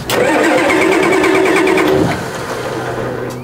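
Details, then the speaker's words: Old diesel car: starter churns about four turns a second for two seconds, then engine settles low and rough; slow, reluctant start, suspected loose glow plug wire. "Oh, I think my glow plug wire came loose. Yeah, I think it's a glow plug wire."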